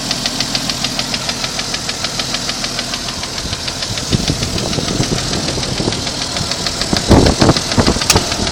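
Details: 1992 Jeep Cherokee at idle; light, quick ticking about three per second, possibly from the valvetrain or top end; cause not found.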